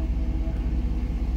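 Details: Jeep Grand Cherokee WJ running on LPG after the gas system was retuned, with tired injectors flushed: deep, even exhaust pulses at a steady idle with no misses or stumbles; runs smoothly and the exhaust is now cleaner.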